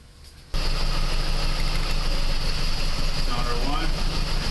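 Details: 2001 PT Cruiser 2.4 idling with an uneven, loping, stumbling beat from a misfire. A power balance test by pulling plug wires showed all four cylinders firing, with cylinder 4 most affected; cause not yet confirmed.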